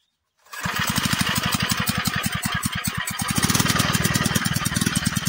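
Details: Villiers MK12 water pump engine after the carburettor was replaced and cleaned and a new air filter fitted: it catches quickly and settles into a steady, fast single-cylinder putter.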